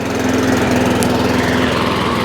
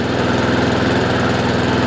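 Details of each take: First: Honda IZY lawnmower after carburetor work for a fuel leak, now starting on choke: unsteady, wavering drone, hunting and not running properly; owner knows it's fuel, so the carburetor needs cleaning again. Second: Honda IZY 19-inch petrol lawnmower after carburettor fuel-leak repair and service, revs raised slightly via governor arm after earlier hunting/surging; quick, even putter at steady speed, no hunting or surging: normal running.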